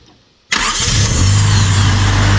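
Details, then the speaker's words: Honda Civic revived after sitting several years, now on stock ECU replacing a turbo-tuned one: fires at once and settles into steady even idle with no misses or knocks; normal start. "we go. She sounds so much happier."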